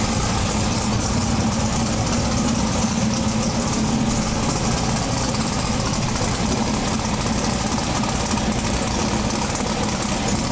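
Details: Twin-turbo big-block V8 pro mod drag car with a Turbo 400 transmission, running again after about 3 years. A loud, busy idle holds an even, steady beat with no misses or surging. Normal idle.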